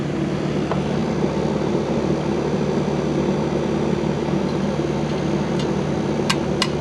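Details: 1999 Rheem 2.5-ton R22 condenser, cleaned, on a piston coil; 30°F evaporator, 7.4 superheat, coil probably still wet, no heat load; contactor needs replacing: steady, even fan and compressor hum with no knocking, rattling or cycling; running normally.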